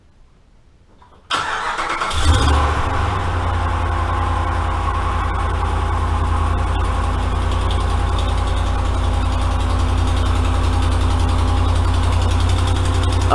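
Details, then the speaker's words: 2013 Dodge Ram 5.7 HEMI, cold start after sitting overnight, fender well liner removed; ticking worse when cold. Engine catches and settles to fast idle with steady light ticking over the rumble; exhaust manifold leak, later traced to broken manifold bolt. "so i'm kind of suspecting that it may have an exhaust manifold leak and so that's why i got the fender welds out and so i'm gonna see if i can get it fired up and if it will make a little racket here"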